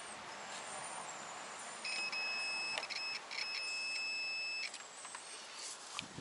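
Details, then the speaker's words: Relay check on a Toyota 4A-FE car that cranks but won't start: with the coil pins energized, the multimeter continuity beep across the switched pins holds solid for nearly three seconds; relay contacts close properly, fault traced to the distributor. "On the 2 pins, which should now have connection, we've got a beep, solid. That means the relay is functioning correctly."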